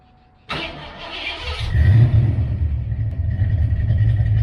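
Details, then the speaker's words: Fox-body Mustang HCI V8 with a TFS cam, Explorer intake and SVE heads on first startup, camera moved further away: starter catches and settles into a loping, choppy big-cam idle with responsive rev blips; normal aggressive cam idle. "alright guys that's it car sounds really good the cam sounds nasty in it cars pretty responsive"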